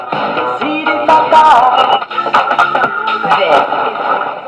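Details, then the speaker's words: Battered Bush transistor radio after repair: pop music plays loud and clear with no crackle, hum or distortion; volume control no longer crackles, wave change works; normal output. "I can kind of understand why he quite likes this radio, because a tiny little compact radio like that, it does actually go quite loud and still play quite clear."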